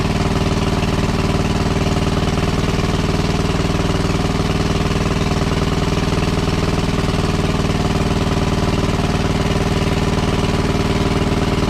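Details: WWII Chore Horse 300-watt battery charging set, model CH1 395-5, original 1940-41 paint, cleaned not refinished: even, steady thumping about three beats a second, holding speed without hunting; runs healthy and works great.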